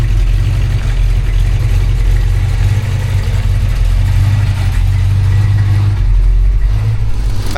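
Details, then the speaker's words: 1963 Chevrolet C-10 with 283 V8, automatic and dual exhaust at idle after a drive: deep, lumpy idle with uneven puffing from an exhaust leak; engine cool despite hot dash gauge reading. "We do got an exhaust leak on this"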